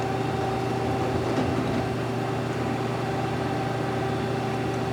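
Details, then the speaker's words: 2011 Mazak QTN 250-II CNC turning center, axes jogging: even, steady low hum, no knocks or grinding, tracks nice and smooth; normal axis travel. "Tracks also nice and smooth."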